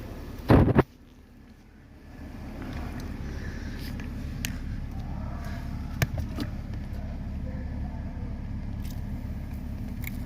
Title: BMW E60/E61 Sterring Clunking noise SOLVED 💯